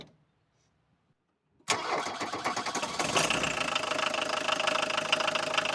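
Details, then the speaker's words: 1982 VW Golf Mk1 1.6 diesel, sat 12 years, after oil, filter, air filter and coolant service and fresh fuel: catches on the first try and settles into a loud, steady clattering idle; normal start and idle. "That's crazy, it started on the first try. It's fucking loud. Anyways, as you saw, it started on the first try."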